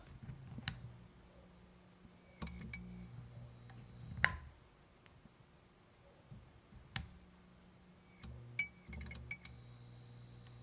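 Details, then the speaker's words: F6T5 preheat fluorescent fixture, said to come from a MegaTouch Force 2005 game, with a vocal starter: low mains hum broken by a few sharp clicks and ticks as the starter cycles before the tube strikes. Normal preheat startup. "That was very vocal. All right, one last time. That was the best start up yet."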